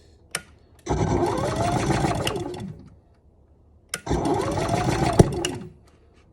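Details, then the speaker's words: Gas generator (Champion/Energizer tagged) being serviced: after sitting about 20 minutes to let gas reach the carb, two rough chugging crank bursts with a sharp backfire pop, never catches; owner then tries pull-starting. "she's going to start here pretty soon a bit of a backfire i'm going to try to maybe pull start it"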